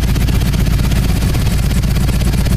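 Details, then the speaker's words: Harley-Davidson with Magneti Marelli fuel injection, cold start after TPS reset and warm idle screw restored: loose lumpy V-twin idle, steady low thump holding even speed without stalling or hunting; cold idle motor controlling idle normally. "let's fire it up as you can hear the cold idle motor is keeping the idle in check"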